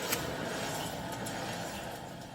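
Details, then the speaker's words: 2011 Toyota Tacoma 4WD, 6-speed manual, 1GR-FE engine, 160,000 miles: steady coarse grinding rumble from the spinning front wheel, driver's side, vibrating the whole front suspension; bad front wheel bearing. "Oh yeah, baby. I hope you hear it. Let me bring you closer. This is absolutely grinding wheel bearing."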